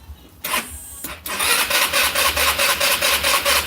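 Starter spins with an even chug about twice a second but the engine never catches; no spark because the kill switch wire is unplugged.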